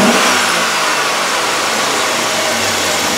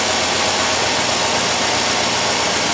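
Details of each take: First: 2007 Chevrolet Suburban 5.3L V8 with a whole bank 1 misfire from coil control circuit faults, idling with the coil ground jumpered to a ground strap: steady, even idle with one brief bump, all eight cylinders firing. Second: 2007 Chevrolet Suburban 5.3 V8: loud, rough idle with an uneven stumbling beat; all bank one coils misfire from a lost coil ground, shown with jumper wire removed.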